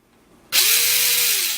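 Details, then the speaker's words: RC truck reassembled after repair, wheels off: electric motor spins up to a smooth steady whir with no clicking, drivetrain fixed. "you can hear the motor going here you can hear everything spin it but you don't hear anything so that was it perfectly fixed the truck"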